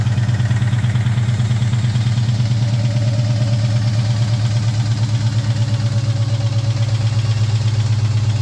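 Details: 2003 Mustang Cobra (Terminator) V8 at idle: a lumpy idle with a heavy, uneven pulse, roughly three stumbles a second, a really bad misfire. The owner's best guess is something in the bottom end; unconfirmed.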